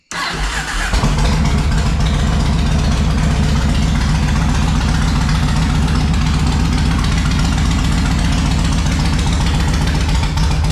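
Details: 2004 Yamaha Road Star Midnight Edition after a new fuel pump, filter and lines and 5 gallons of fuel, with the fuel gauge still reading empty: about eleven seconds of steady cranking that never catches into an idle; still too cold. Hard starting.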